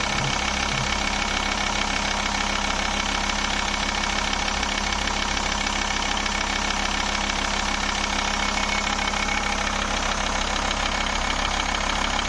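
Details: 2.5 L five-cylinder diesel (labelled both Volvo 850 and Audi) clatters at a steady, even idle with no hunting or misses; the engine is healthy.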